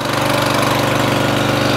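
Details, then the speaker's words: Murray 14.5hp 42-inch lawn tractor, Briggs & Stratton single-cylinder OHV, after fixing a bad ground. Quick even thump at steady speed, no misses or stumbles; normal running. "finally after three four episodes we finally got this Murray 14.5 horsepower Briggs & Stratton single cylinder overhead valve 42 inch wide cut running working just as it should"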